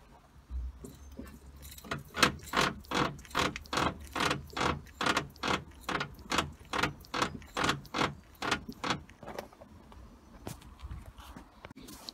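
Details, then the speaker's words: Jaguar X-Type front end rocked with engine off: repeated rubbery creaks about twice a second, started after top mounts were fitted; attributed to the front anti-roll bar bushes. "it's a jig so as you've seen a horrible creaky noise which started after i put the top mounts on definitely the top mounts it's another problem"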